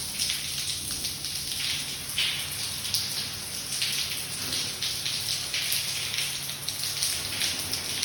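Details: Water flooding down from floor 17 at 5:07 am with strange noises: steady spatter and gushing of falling water; owner suspects busted water pipes in the flat above, which had a previous leak.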